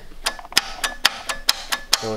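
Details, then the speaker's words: John Deere F1145 diesel, cold day, unrun since July 2017, glow plugs used; sharp clicks about twice a second with no cranking: the starter chattering on a dead battery. "Battery's dead. Hear it? Yeah, the battery's dead."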